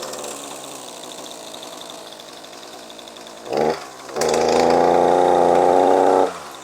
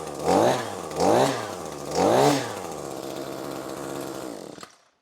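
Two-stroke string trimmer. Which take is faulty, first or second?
first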